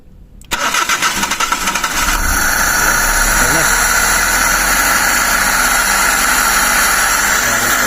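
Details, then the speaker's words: Suzuki Every/Scrum engine after throttle body cleaning with intake hose still off; cranks, catches, settles to steady idle under a loud hissing suck; loud intake noise that should stop once the hose is refitted. "Kaya no, so pag nasara natin yan, wala nang ingay yan."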